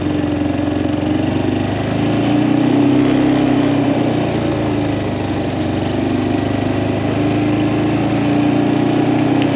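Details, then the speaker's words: Kawasaki Prairie 400 single-cylinder ATV after engine rebuild, on a test ride, camera on magnetic base: steady even drone under light load over road noise, no knocks; runs smooth; carburetor float still needs adjusting; normal running. "other than that it's running fantastic and this thing rides like a Cadillac I mean it is so smooth it's heavy it's nice"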